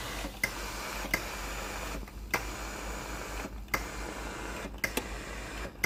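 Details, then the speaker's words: Philips GC9550 steam generator iron, after replacing the faulty thermal fuse (dirty, sparking contacts) that left the boiler cold: even steam hiss with light pump and valve clicks; steam delivery working properly. "ตอนนี้ไอ้น้ำออกปกติแล้วนะครับ"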